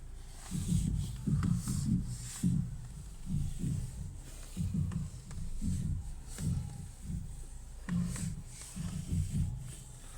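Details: 2012 Ford Mondeo: dull low thuds in uneven bursts, about one to two a second, when the wheel is turned; owner suspects the steering rack, not confirmed.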